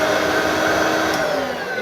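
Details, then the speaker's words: Hoover Freedom bagless vacuum from the tip. Loud, steady, nasal whine sagging slightly as the motor comes up to speed. Whiny only on startup and fine once running; the owner suspects dry bearings. "it's probably got dry bearings or something it sounds all right when it's running just the need to alter the startup"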